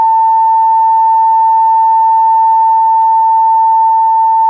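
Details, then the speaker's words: 1949 Westinghouse H-104 7-tube radio speaker tested from an audio generator at 31 volts, 200 mA, 22% low in DC resistance: clean, steady tone near 900 Hz, no buzz, rattle or crackle; speaker operating properly. "So it's 31 volts, and you can hear that it is operating properly."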